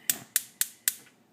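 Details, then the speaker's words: Electrolux gas stove cooktop burner after cleaning: four sharp, evenly spaced igniter clicks about four a second, then quiet as the flame catches; it sparks cleanly and the burner lights. "it doesn't work anymore so I cleaned it all up and now it works perfectly as you can see"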